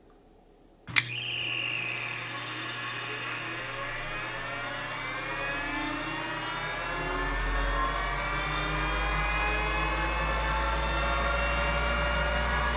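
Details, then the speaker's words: Old Finch hard drive for a Centurion minicomputer, heads unlocked and spun up while owner fears a head crash: whine climbs smoothly then settles to steady hum, no screeching, scratching or zinging; heads flew, drive sounds normal. "it sounded totally normal I didn't hear any screeching or scratching or zinging or anything that would indicate a head Crash"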